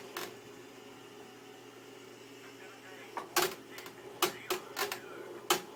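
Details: Fanatec CSW wheel under force in left turns, common on ovals: irregular sharp creaks and cracks, none turning right. Caused by loose allen bolts in the quick-release connectors on rim and base; tightening them removed it.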